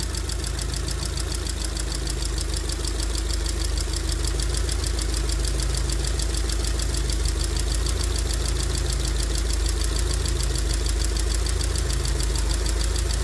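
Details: 2002 Rover 75/MG ZT engine that stalled at idle with an unpleasant noise and sat for a while, now idling smoky and clearly misfiring. A fast, light clatter about three taps per second over a deep hum points to noisy valve tappets.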